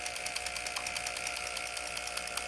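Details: Junkyard ABS solenoid pack on a homemade oscillator/flip-flop bleeder for a 1996 Land Rover Discovery, pump motor running continuously about 10 minutes: steady high whine with rapid even solenoid clicking, no strain or grinding; nothing hot, fuses intact; normal operation.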